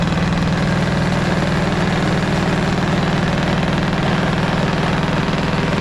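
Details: Caterpillar D8 2U crawler main diesel, first start in its revival after the pony motor was sorted; deep, even beat at roughly 200 pulses a minute, no knocks or misses. The motor sounds fantastic. Normal diesel running.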